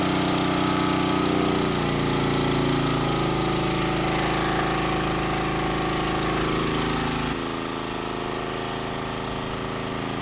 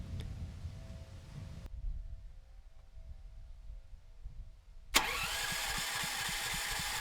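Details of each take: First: Rebuilt Champion 458cc single-cylinder generator engine on test carburetor, gasoline, under 7,000-watt load: loud even beat with speed sitting low and sagging; governor speed droop under load, though engine has plenty of power. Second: Rebuilt Champion 458cc engine on dual-fuel generator, test carb, running on propane: catches and settles into quick even beat with steady exhaust; clean start, running smoother than on gasoline.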